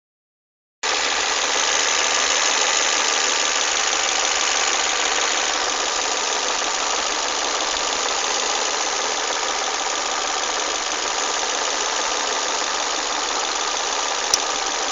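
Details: Volvo S40 at idle: busy, uneven metallic rattle and knock from the top end, attributed to a broken VVT wheel (cam phaser). Cause suspected, not confirmed.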